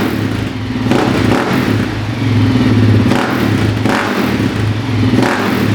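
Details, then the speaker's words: Suzuki LTZ 400 quad after top-end rebuild (new cam chain, rings, oil hoses, re-shimmed intake valves): single-cylinder idle with throttle blips, no ticking over the clatter; top end sounds healthy. "But sure enough, she fired right up. There's not even the slightest trace of a tick."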